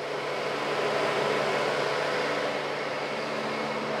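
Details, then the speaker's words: Tahoe after clutch-fan delete and e-fan conversion, PCM-controlled fans commanded via scan tool: steady, even rushing whoosh with faint hum, no wavering; cooling fans running normally at low then high speed, PCM wiring correct. "so here we go this is gonna be low speed i hear the fans high speed so there we go i wired up the pcm correctly"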